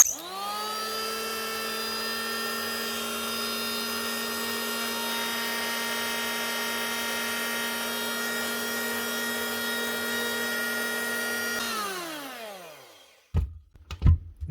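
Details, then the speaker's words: Hitachi P20SF electric planer (2013) after replacing bearings and cable: smooth, steady high hum with clean even tone, no rattle or vibration, then a clean spin-down. "vibrations knobs not moving you're running and sounding a lot smoother"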